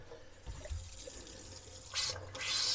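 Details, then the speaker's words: 1978 Boler 1700 trailer being dewinterized, water pump refilling the tank: faint trickle, then uneven hissing spurts at the tap as air and water come out together; air still trapped in the water line. "yeah it sputters pretty good for a while while that tank gets the air out so and in fact right now there's nothing but air coming out"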